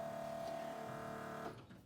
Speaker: you can hear the fuel pump running we do have physical pressure at the regulator